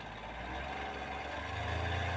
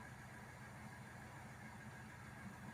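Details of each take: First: Hyundai Grand i10 diesel (2015, BS4) idling, before repair; steady idle with a faint light tak-tak tapping. The mechanic suspects the timing chain but will check whether it is piston noise. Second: Hyundai Grand i10 diesel (2015, BS4) after engine work for a tapping noise, with the air filter refitted; quiet, steady idle with an even low rumble and no ticking or tapping. Normal idle.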